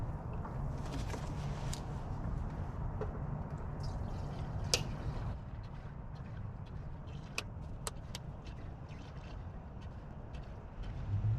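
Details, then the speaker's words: Snow blower, stored in a shed without electricity, fired on the first pull without its electric starter: low, steady single-cylinder rumble running evenly with no misses; normal running. "it still starts up first pull every time which is good because I do not have electricity in my shed"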